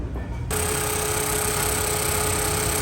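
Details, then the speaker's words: Suzuki Swift AC compressor running with a steady mid-pitched whine over engine hum that disappears when AC is switched off; pressures 35 and 175, cooling good. "So ayan medyo may huni po yung compressor niya."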